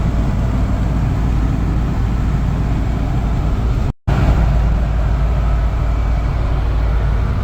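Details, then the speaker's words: 1985 Toyota pickup 22R four-cylinder, sat over 10 years, idling after exhaust manifold resealed with new gaskets: steady, smooth low idle, no ticking or puffing from the front, much quieter; manifold no longer appears to leak. "yeah it is so much quieter from the front end now now they have everything buttoned up and gaskets new gaskets in there I don't think it's leaking anymore from the manifold or anywhere actually"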